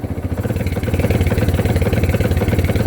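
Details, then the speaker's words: Kawasaki Barako 2 single-cylinder motorcycle, which stutters and lost power on a climb and had to be towed, revved with an uneven, stumbling misfiring beat; voltage reads 16 V while revving, and overcharging from the charger is suspected. "Oh 16 na yan ah. Palyado pa. Then yan ang yan ang unang narinig ko nung pabababa na kami ng ano ng"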